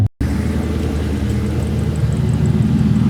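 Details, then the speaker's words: 2003 SVT Mustang Cobra before front pulley bearing replacement: warm idle rumble with a faint, irregular high chirp from one worn front pulley bearing, quieter once running a while. "Hear it? It's not as loud right now. It quiets down when it gets going. It's really not that bad, but I just wanted to keep up on everything."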